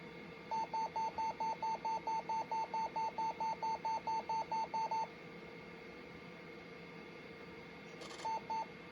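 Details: Compaq LTE Elite 4/50E laptop during boot: quick run of about twenty even mid-pitched beeps, roughly four a second, then silence and a short burst; abnormal startup warning, motherboard condition unknown, cause unconfirmed.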